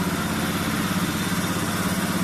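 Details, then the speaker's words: Honda Scoopy/Beat fuel-injected scooter with ignition fault, running with throttle position sensor unplugged: engine putters at a steady low idle with an even pulse but bogs and won't rev when throttle opened. "Sudah bisa hidup cuman gak bisa digas ya ngempos karena tps-nya belum kita pasang ya"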